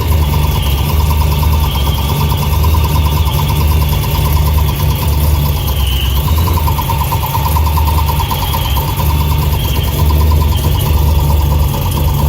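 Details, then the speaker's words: Ford Lightning; after exhaust, O2 sensor and plug work, a loud, constant metallic rattle at idle comes from the bell housing. The torque converter is suspected, and a transmission shop couldn't confirm. "there is a really loud noise coming from the bell housing, which I'm assuming is the torque converter."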